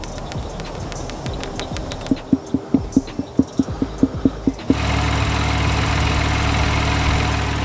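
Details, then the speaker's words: BMW i8 with an overheating problem, water pump heard through a mechanic's stethoscope on its housing: steady even whir with no knocking or rattling, pump healthy; an empty thermostat hose was found instead. "sounds good and healthy to me"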